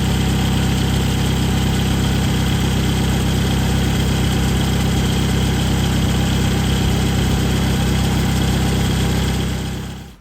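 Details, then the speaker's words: 2011 Toyota Camry at idle just after the serpentine/power steering belt, which had come off with animal nest remnants found, was refitted. Smooth, steady low drone with no belt squeal or chirp before shutdown; belts running true. Normal idle. "okay everything looks like it's running straight and true"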